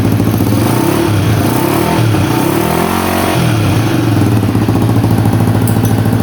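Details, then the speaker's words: 1985 Honda XL250R with swapped-in CBX250 electric-start engine, new carb and exhaust: single-cylinder thump settles into a steady idle after light blips, no misses or rattles, super quiet, no smoke; normal idle. "Well, that's a screaming success. That's with the new carb. Exhaust on, super quiet. No smoke."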